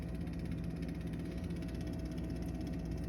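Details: Baseboard heating in an apartment with no heat or hot water, blowing large amounts of dust into the room: steady low hum with a faint higher tone at constant level, no knocks or ticks; cause not determined.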